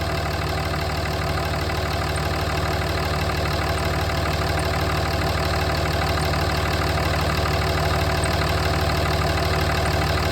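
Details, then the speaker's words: 2007 Dodge Ram at idle after front main seal replacement, newly fitted belt tensioner: quick light high-pitched ticks, roughly three per second, over a steady idle; the new tensioner is already clicking. "But, I just put this belt tensioner on. It's already clicking and making noise."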